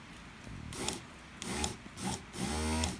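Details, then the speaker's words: Land Rover Freelander 1 window regulator motor after repair, thin washers added each side to take slack out of the armature that pulled against the brushes: three short runs of smooth even hum, no grinding; noise gone. "Then see if we've got a got rid of our noise. Yeah, I believe we have."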